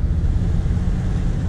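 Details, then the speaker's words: 1975 Chevy C10 cruising after lubricating the speedometer cable: steady low road and wind rumble with no clicking or ticking from the cable; noise fixed. "And no speedometer cable noise anymore. Issue is fixed."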